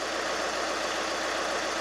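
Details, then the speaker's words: 2019 Chevrolet Colorado 2.8 L Duramax diesel idling just after starter replacement for a no-start: steady, even diesel clatter, no misses or heavy knocks; engine runs healthy. "She's alive. 2019 Colorado, 2.8 liter. Good to go."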